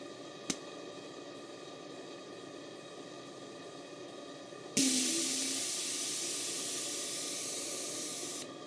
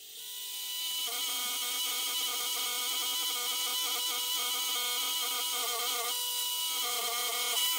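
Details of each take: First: Gas-fired model steam boiler heated with a blowtorch burner head, at working pressure: the safety valve pops, gives about four seconds of loud steady steam hiss, then snaps shut as pressure builds again; normal blow-off. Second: Gas-fired Stuart 500 series model steam boiler with its Stuart Models safety valve blowing off: harsh steady hiss with fast fluttering chatter, three or four pulses a second; owner replacing it with a pop-type valve.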